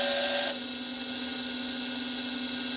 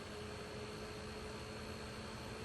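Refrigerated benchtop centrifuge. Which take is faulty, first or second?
first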